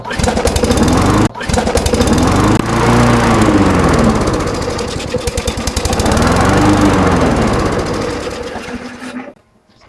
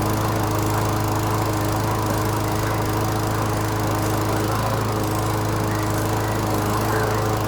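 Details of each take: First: Canadiana Elite 22-inch self-propelled mower with Briggs & Stratton Quantum engine hunting, revs rising and falling every few seconds, because the governor spring was left off during reassembly. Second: Canadiana Elite 22-inch self-propelled mower with a Briggs & Stratton Quantum engine, bought needing an engine control cable. It runs with a steady, even hum with the drive engaged; a strange noise underneath remains unexplained, first suspected as a loose blade, but the blade checked good.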